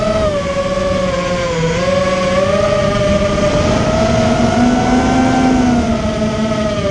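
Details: Immersion Vortex 250 Pro motor test run after an attempted fix of bad bearing sounds: smooth steady whine that sways a little in pitch as the motor holds speed, no grinding or rattle; bearings sound healthy.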